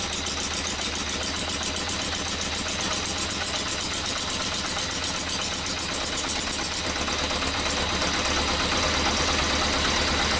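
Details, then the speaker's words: Yamaha XJ900S on first run in 10 years: steady busy idle with an uneven, spitting edge from the exhaust pipes. Rough idle. "so I guess that's it we've got it rolling and it sounded all right the pot from the spitter sputter out of these pipes"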